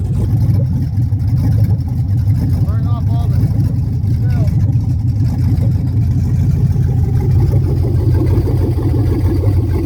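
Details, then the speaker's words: 1975 Suburban with a 6.0 LQ9 V8 swapped from a 2004 Escalade, first start with no exhaust or cooling system: loud, deep open-pipe rumble with a slightly uneven, lumpy beat at idle. Runs a bit rough; owner blames the missing O2 sensor. "missing an O2 sensor, so it's going to run a little weird. There it is. First start."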